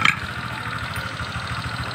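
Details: Honda Vario 125 scooter idling: steady, quick knock riding on each firing pulse, deep in the middle of the engine; worn connecting rod.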